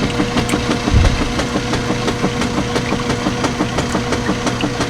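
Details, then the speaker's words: Sharp irregular ticks and knocks, about three a second, over the agitation hum of a direct-drive washer loaded with 10 towels; an occasional knock the owner has heard before and is not concerned about, cause unknown. "like I said I'm really not concerned about that noise because I have heard it before and nothing has ever happened"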